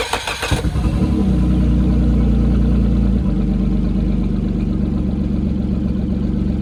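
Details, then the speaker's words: Motor on a previously sunk boat, after new starter, rewiring, draining the old tank and fresh fuel: brief crank, then a smooth, steady low idle with even firing while warming up; normal idle. "Guys, we got the motor running. We're just going to let it sit here and idle for a while, build some temperature, and see how well she runs."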